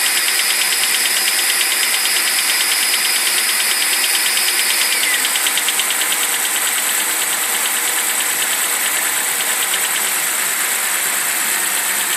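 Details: BMW 745i E65 after a cold start at 2°C outside: sharp fast ticking about three per second over a quiet idle, top-end clatter gone after 1 min 20 s; owner suspects an old chain tensioner, unconfirmed.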